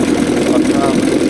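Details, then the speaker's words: 5 hp (6) Evinrude Angler outboard after a major refurbishment with new wires and plugs: starts straight up and idles with a smooth, even mid-pitched buzz, pumping water out, no stumbles or rattles. Normal idle. "start straight up and uh running beautiful run very beautiful here we are beautiful beautiful idle on it"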